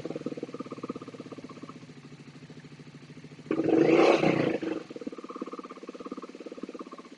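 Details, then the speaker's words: Motorcycle twin idling lumpily on one cylinder. Spraying fuel into the front carb makes the second cylinder catch and the revs rise, then drop back. The front cylinder is starved of fuel by a gunked-up float needle. "obviously you can hear the other cylinder kick in when we spray into the front carb the revs just pick up on the one cylinder when it's just sprayed into the rear cup"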